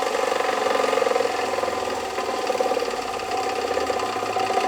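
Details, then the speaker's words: Radial arm saw motor running with the blade spinning. A steady hum carries a rough, fast rattling grit with no real letup, plus a little vibration; the motor bearings are worn and in rough shape. "However, the bearings in this saw are in rough shape. I'll power it on here so that you can hear [Music] it. And you can kind of hear it as the blade is spinning"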